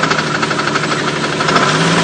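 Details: 1998 Jeep Cherokee XJ at steady idle with a quick, even tick throughout, light ticking from the top end; smoke also noted; cause not pinned down.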